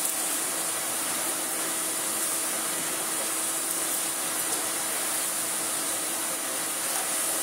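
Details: Vintage 1990s Miele S228i vacuum cleaner after refurbishment, new plug fitted, cord reel replaced: smooth, constant high rushing hiss with no surging, rattles or pitch wobble; motor healthy and pulling evenly.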